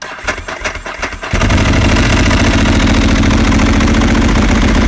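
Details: 2007 Ducati 1098 with intermittent hot no-start issue, after fitting HICAP copper starter cables, third day sitting, battery 12 V, ignition on; starter spins briefly, twin fires in about a second and settles to steady even idle: normal start.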